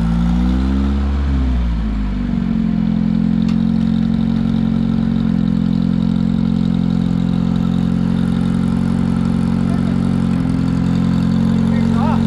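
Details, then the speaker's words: Long-forgotten Satoh S-550G tractor with a 4-cylinder gas engine, just restarted after briefly smoking. It has a homemade leather accelerator pump. A short rev settles into a steady, even idle with no knocks or misses, so it is running cleanly. "Okay, tell me that's not cool. The old girl's fired back up, she's running, and you gotta remember that the old man made that accelerator."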